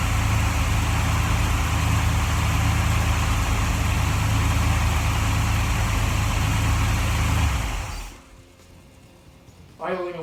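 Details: 1947 Ford Tudor street rod, carbureted V8 with Holley carb: after adjusting the carb base screws, even, steady idle sitting a bit high with no whistle or hiss, then the engine shuts off cleanly.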